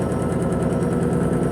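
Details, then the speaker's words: Electrolux Perfect Wash 16 kg LP16 washing machine spinning a load with sneakers: heavy rhythmic thumping about five beats a second under a loud drone while the machine shakes, likely from an unbalanced load. "Olha isso pessoal tá vendo eletroluz 16 kg LP 16 simplesmente essa máquina tava balançando aqui"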